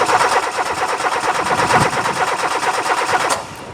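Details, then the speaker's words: 1999 Renault Clio 1.6 16-valve that will not start: the starter turns the engine at an even rhythm with no stumbling or odd noise, and the battery appears fine, but the engine never catches; it cranks but will not start. "le démarreur a l'air de fonctionner puisqu'il entraîne le moteur tout à l'air de fonctionner normalement parce qu'on n'entend pas de de fonctionnement bizarre on n'entend pas de sursaut dans les rotations du démarreur"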